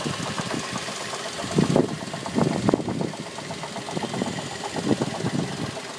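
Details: 2006 Mazda 3 idling: uneven heavy knocks over a rough idle; engine knocking, cause not pinned down.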